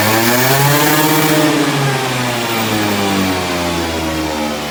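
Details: Aprilia SR50 Purejet scooter, Piaggio two-stroke, after rebuild with original cylinder and piston refitted, high even buzz held near full revs, about 9000 rpm, easing slowly down with no misfire or rattle; engine runs healthy, previously stuck below 6000 rpm.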